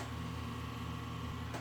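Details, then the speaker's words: 22-year-old PC's EZCOOL 450W KY-450ATX power supply on a tester showing HH and flashing: constant low mains buzz with a thin steady whine on top; unit judged bad, not safe to use. "so just going to say no this pass PL is no good I mean you can hear it that is not a good"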